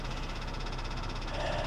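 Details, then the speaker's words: Kia at a salvage auction with suspected water ingestion: quick, even rapping about fifteen times a second over the idle, an internal engine knock; doubted to be a rod, timing chain or valve damage suspected, not confirmed. "I don't think it's a rod that sounds like timing chain I think that's timing chain related"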